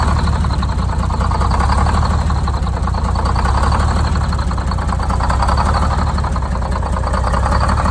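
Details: Detroit Diesel 6-71 two-stroke, first start after new 4-valve head and Davco 382 fuel filter install, valve cover off so not revved: deep, even idle with steady low throb, no irregular knocks; idle set via buffer screw; normal idle.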